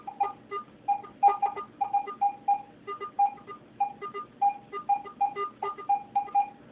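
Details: Garrett AT-Pro metal detector air test, zinc penny at 8 inches from the coil, reading about 74. Repeated short mid-pitched beeps, several a second, clean and consistent over a quiet background: a good zinc penny target response.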